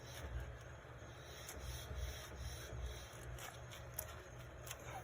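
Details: Mercedes W212 E63 wheel spun freely by hand during hub bearing adjustment; a soft scraping rub repeats each turn with a low rumble under it as the rotor hits the brake pads, possibly contributing to vibration.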